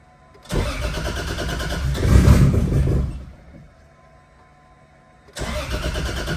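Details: Nissan 350Z after crash repairs, first start with the battery refitted: cranks briefly and catches, runs rough a couple of seconds, cuts out, then fires again and settles into idle.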